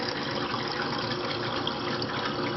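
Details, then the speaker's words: GE refrigerator GSS23WGTA water dispenser after replacing WR17X20860 water manifold assembly for slow/no flow from not-fully-actuating plunger; sputtering, gushing water with uneven hiss as trapped air spits out of the lines; air purging, working great. "You could hear the air coming through the pipes. But it looks like it's working great."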